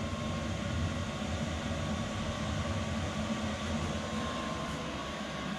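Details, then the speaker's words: 5kW Chinese diesel air heater in a bus conversion, shut down with the start/stop button after its first run, going through its roughly 5-minute cooldown. Steady even fan rush with a faint hum and no combustion roar; normal cooldown. "it's gonna go through it's 5-minute cooldown period or however long it takes to cool down"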